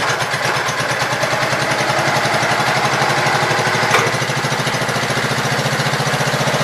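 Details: Gravely Pro 12 single-cylinder, choke on, just above idle: steady even putter, regular firing, no knock or miss; deck not turning easily; engine healthy.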